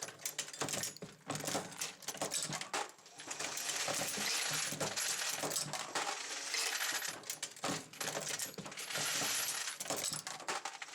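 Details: Dillon XL750 progressive reloading press cycling at a comfortable pace with a case feeder and no bullet feeder. Steady metallic clatter and jingle of brass cases dropping through the feeder; normal progressive press cycling.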